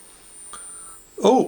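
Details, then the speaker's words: Murphy Type 350 television, first cold power-up, 10,000 V HT measured: thin steady high-pitched whistle; line output transformer running normally, with frame collapse and no sound. "okay so we've got 10 000 volts of ht at the moment so that's a sign and i can now hear the line output transformer running"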